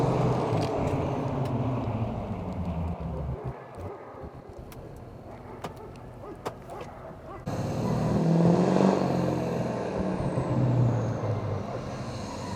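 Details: GMC Duramax 2500 diesel with 80 hp tune, muffler delete and 5-inch straight-pipe exhaust, heard driving past; clean high whistle rises then falls as the truck pulls away; turbo spooling normally.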